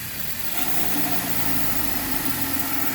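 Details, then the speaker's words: 2015 Hyundai Veloster 2.0 GDI non-turbo direct-injection petrol engine held at 2500 rpm while half Lucas injector cleaner, half gasoline is sprayed into the intake; spray hiss and the engine speed drops slightly, cleaning a dirty throttle valve. "arranqué el carro y le fijé las revoluciones a 2500 y con la pistola esta de pintar le tiro el spray ve cómo baja las revoluciones lo mantiene"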